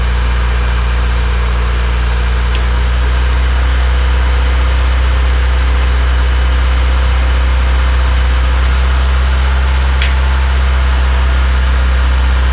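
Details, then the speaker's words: Honda Civic freshly rebuilt D16Y8 engine, first start-up, idling before any revs: steady, even low idle with smooth rhythm and no bottom-end knocking, warming up normally. Normal idle. "So it's running. Everything sounds nice and smooth right now."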